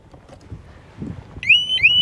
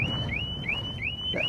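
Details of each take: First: Harley-Davidson Smart Siren 2 on a 2020 Tri Glide, tamper alarm tripped by pulling the main fuse with the fob away: shrill siren with quick rising whoops about every third of a second, running about 28 seconds per cycle. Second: Harley-Davidson Smart Siren 2 on a Tri Glide, triggered by shaking the bike after chirps: loud, high siren in repeated sweeps about three times a second, lasting about 28 seconds with lights flashing; working normally.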